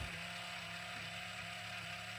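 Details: FMS FCX10 Toyota LC80 RC crawler after 8 months of hard use, at full steering lock: steady servo whine with fine rapid clicking as the front axle binds from too much steering throw. Fixed by reducing the steering dual rate about 25%.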